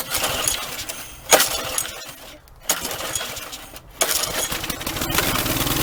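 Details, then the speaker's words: Troy Bilt string trimmer two-stroke after fixing an air leak at a warped plastic housing by double-gasketing: a few pull-start attempts, then it catches and settles into a steady high buzz. It was flooded, so it may start hard. No ether needed. "But that took care of it. It may start a little hard now because I flooded it, but no ether this time."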